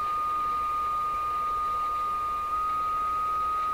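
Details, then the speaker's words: Rogers 11RA651 shortwave radio fed an unmodulated signal: a steady pure whistle around 1.2 kHz over faint hiss that should not be there, always lining up with the received signal; unexplained heterodyne tone, cause unknown. "Okay, so this is an unmodulated signal being sent to the radio. We should not hear this tone. The tone is being caused by something I don't understand what it is. It always seems to line up perfectly with the received signal."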